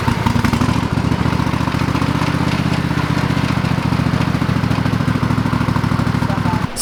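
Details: Old lawn mower revived after sitting parked: steady single-cylinder putter at an even pace, no misses or knocks, firing right up; still on old gas, owner plans fresh fuel. Normal running.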